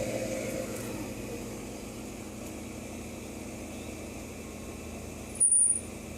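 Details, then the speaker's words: 1992 air conditioner condenser fan motor, 30 years old: steady fan whoosh and low hum with an intermittent short high-pitched squeak from a dry bearing, about 22 months after last oiling, before re-oiling with light mineral oil. "hear the squeak i was criticized in the first video because i didn't show the squeak or hear the squeak it's just intermittent now"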